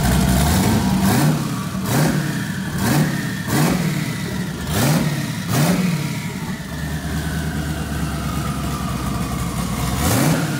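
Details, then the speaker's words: Twin-turbo LS V8 swapped into a Camaro, first startup after the build: sharp throttle blips about once a second over a lumpy idle, each followed by a falling turbo whistle; strong, healthy first start. "so i'm going to give you guys the turbo noise because i know that's what everybody's here to see anyway so go ahead and fire that thing up dude it sounds so good"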